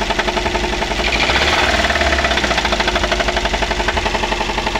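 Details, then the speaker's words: Daihatsu Gran Max engine revved before repair: steady rapid rough knocking, about four beats a second, sounding like the engine is about to break, with misfiring, rough running and low power; smooth after repair. "Nah untuk suaranya seperti itu ya teman-teman seperti ee mau pecah di bagian mesin ya"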